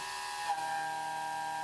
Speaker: With this part hanging out so far, when the tool is in the cut, it's really going to be bouncing around, giving us a lot of chatter.